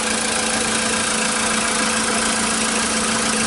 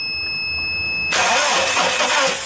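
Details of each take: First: Volkswagen Polo that would not start due to missing power to the ignition coils (a lock-out), now fixed via a relay: steady, even idle with constant hum, no knocks, misses or hunting; running normally. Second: Volkswagen Polo cranking steadily after a quiet key-on but never firing; crank no start with no spark, caused by no power to the ignition coils because of an immobilizer lock.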